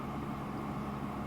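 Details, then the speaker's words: Inverter 5006 paraffin (kerosene) heater, 3.2 kW, about 15 years old, after switching off: quiet, smooth fan whoosh with low steady hum running a minute or two to cool the unit; normal, no rattles or ticking. "and that'll run for a minute or two just to blow cool air through the unit to cool it down."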